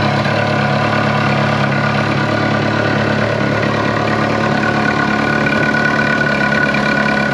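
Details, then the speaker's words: Ferrari 360 Challenge Stradale Spider V8 at idle: even idle with a thin whistle-like tone riding over it; belt tension feels okay and WD-40 on the pulleys did not change it, source not yet found. "next thing we've done is fire it up spread a bit of wd-40 on just the pulleys here and again the noise is still there"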